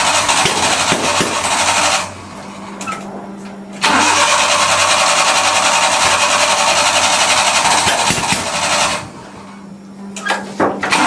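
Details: Farm truck: long bursts of steady cranking, briefly catching then dying, twice; cranks but won't start, fuel supply suspected.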